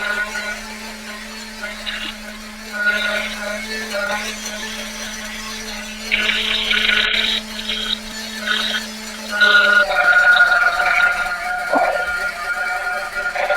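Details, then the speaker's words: Ielasi-tuned Terra EVO nitro RC engine warming up on the dyno: high-pitched buzz that steps up in revs and sharpens as the engine cleans out while heat saturates. "Usually around 190 200 I'll have to turn down the idle. You can already hear stepping up a little bit cleaning out. Yeah, there she goes."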